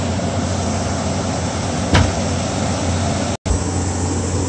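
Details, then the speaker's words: Window AC unit after a bad capacitor was replaced; the fan and compressor start right away and hum at an even pitch, and the coil gives about a 20°F temperature drop (87 to 67), so it runs normally. "fans start it right up and the compressor started just right away so pumping out the high side here and coming back on the suction line"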